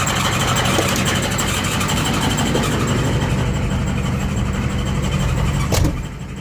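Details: Ford ZF5 S5-47 manual transmission, supposedly good used unit: steady high squeal over engine drone that stops as it winds down; teardown found rear countershaft bearing race spinning in the case, 0.006" countershaft endplay, bearings only minor pitting.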